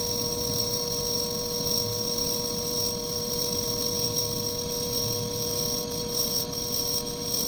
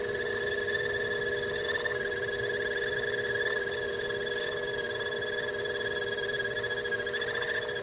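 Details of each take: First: Lathe skimming and facing a homemade bench block at a slow feed: even motor whine, steady high tones and a smooth cutting hiss with no chatter or squeal. A clean finishing pass leaving a mirror-like finish. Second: Lathe turning a homemade bench block while skimming the OD and facing: a steady, high, bell-like ringing as the tool chatters against the workpiece, so the feed is slowed.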